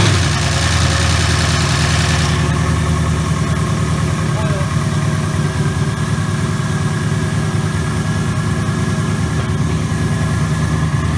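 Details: 2019 Mustang GT with Whipple stage 2 supercharger (3.875 pulley), first start of a new built engine replacing one with a broken piston and melted catalytic converters, breaking in on BR30 oil: rev flare settling to a steady, even low idle, no knocks; runs smooth.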